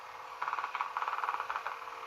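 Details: Homedics massage seat cushion opened up, the good roller unit running: steady mid-pitched motor whir with light regular pulsing, no skipping or grinding; normal operation.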